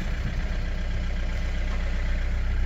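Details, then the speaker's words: Car bought from Copart, claimed dead but starting once the battery was connected: a low, lumpy idle with an uneven throb and shake. The engine runs rough, smokes and shakes, and the cause is not identified. "you know what the problem with the engine it's smoky smoky and shaking"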